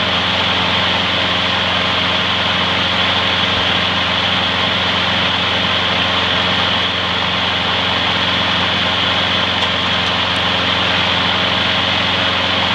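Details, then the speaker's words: Trash-found mower after freeing a stuck carburetor float needle and topping up low oil: fast even single-cylinder buzz at one fixed speed, no stumbles or misses; slight smoke may clear after running in; runs great. "it might clear up after its run in a while so not to worry about that seems to run great"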